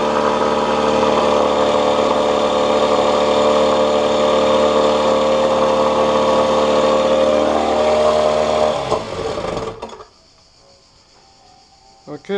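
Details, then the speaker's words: 1986 Johnson 4 hp Seahorse two-stroke outboard, reassembled after water pump and passage work, started first pull, run in a test tank: steady even buzz about 3.5 beats per second for eight seconds, then shut off; small known carburetor leak. "so it works good. There's a little leak on the carburetor, but I know about that."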